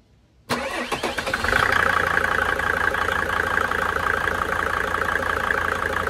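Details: Mercedes OM605 diesel started after an injection pump advance adjustment: the starter cranks briefly, then the engine catches and settles into a steady, even clatter with a slight rev at pickup.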